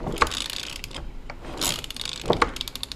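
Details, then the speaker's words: 2001 Kawasaki KLR 650 turned over by hand with the head coming off for a 685 kit and spark plug loose, so no compression: slow mechanical clatter with sharp metallic clunks of unknown origin, chasing a knocking noise. "I'm spinning the motor and you can hear that clunk I don't know what it is here it was"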